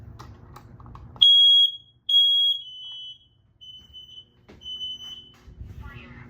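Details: Office/bedroom smoke detector mounted fairly high, test button pressed; loud, piercing high beeps in short bursts, each clear and strong; smoke alarm working.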